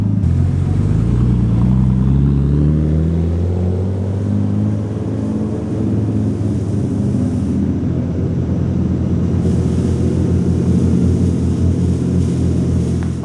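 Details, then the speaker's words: Nissan R33 Skyline GTS-T driven under load on a newly installed Link G4X plug-in ECU base map, before tuning: a deep, even engine note pulling smoothly through gentle revs, with no stumble, knock or hesitation; it runs clean. "Alright, so we've just taken Zach's car for a test run. Went really well on the base map. Drove super smooth, so..."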